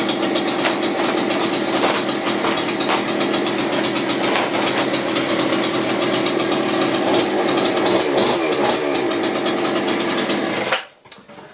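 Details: McCulloch grass strimmer rescued from a tip after five years unused, small two-stroke on reduced choke: buzzes loud, high and steady for about eleven seconds, then cuts out cleanly; running properly.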